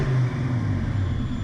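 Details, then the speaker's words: Fox-body Ford Mustang, mass air: with the BAP sensor hooked to vacuum, low uneven rumble sags and stutters instead of climbing cleanly when revved; the sensor must not be connected to vacuum on a mass air car. "On a mass air car, you cannot hook up your BAP sensor. It cannot be hooked up to vacuum."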